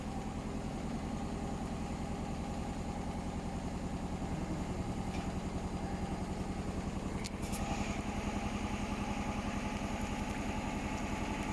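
Rhythmic thumping about three to four times a second over a steady motor hum; the drum is spinning badly out of balance.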